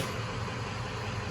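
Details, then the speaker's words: 2005 Cadillac CTS 3.6 L with codes P0300, P0303–P0306, P0420, P0430, just after an oil change with good oil level: idle runs very rough with a low, uneven, lumpy beat, misfire currently on cylinder 5. "clearly it runs like absolute garbage we just did the oil change the oil level is good okay someone was wondering currently looks like misfires going off in cylinder number five"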